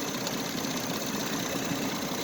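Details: Husqvarna YTH2454 riding mower at 28°F in wind, on jumper cables after wiggling a bad connection: rapid, even cranking churn under wind hiss with no catch or firing; turns over but won't start on a weak, dead battery.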